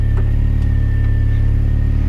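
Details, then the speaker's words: R53 Mini Cooper S after new power steering lines, fluid topped up, no leaks, wheel refitted, dry steering with two fingers: even engine hum, faint steady pump tone, no groan or squeal; power steering working properly. "Right, wheel back on, and as you can see, 2 fingers on the steering wheel. I can dry steer it"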